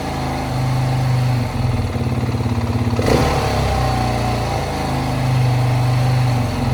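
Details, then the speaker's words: 2019 Beta 430 RR-S: after a throttle blip, revs hang around 3,000 rpm for a second or two, then sag below 2,000 to a lumpy idle; the faulty throttle body was replaced. "you notice it stays at 3000 for a little bit and then it drops down to idle i'll do it again"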